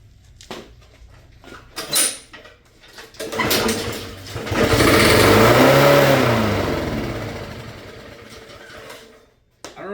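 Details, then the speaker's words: Honda lawnmower that won't run, tested with starting fluid: catches, revs unevenly a few seconds, then fades and dies; runs only on starting fluid, likely dirty carburetor needing cleaning. "about you guys, but to me that sounds or that seems a lot like a what a dirty carburetor would do."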